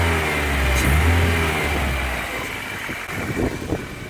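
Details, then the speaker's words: BMW E30 318iS after fixing several vacuum leaks, including a large one in a purge line, to cure hard starting: revs pick up instantly on the throttle and settle smoothly to a steady idle with no hunting or hiss. Healthy throttle response. "it just feels a lot more instant the throttle response feels straight away like really really good"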